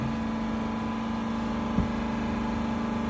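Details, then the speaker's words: 2021 Dodge Durango R/T 5.7L HEMI V8 after new spark plugs, held at about 3,000 rpm: smooth, even hum steady at raised revs with no stumble or missed beats; normal, no misfire. "If you had a misfire, you would hear it. Sounds good. Just raise the RPMs on it."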